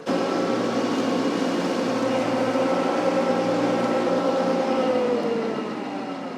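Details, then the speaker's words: Summit TX25H tractor driving a mower through the PTO; steady diesel drone whose whine sags in pitch as the mower loads it, speed bogging the engine down about 100 RPM, struggling under PTO load. "So that's, just so you can hear me, that speed right there was bogging the tractor down about 100 RPMs."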